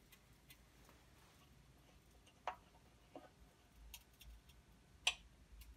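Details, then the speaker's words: Fine Elements SDA1050 hot plate with the thermal fuse bypassed, first power-on while heating: faint, irregular crackles and ticks a few seconds apart over near silence; crackling while heating. "lights on its life but it's earth some crackling noises in there"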